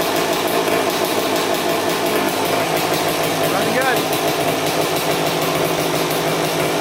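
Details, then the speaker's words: 2000 Suzuki RM250 two-stroke (249cc), unrun two years, fresh premix fuel, cleaned carb, good compression: very loud raspy running with a harsh open crackle; big split in the expansion chamber, basically straight-piped, needs welding. "all right she runs pretty good really really loud though and look what i found big split in the pipe right there"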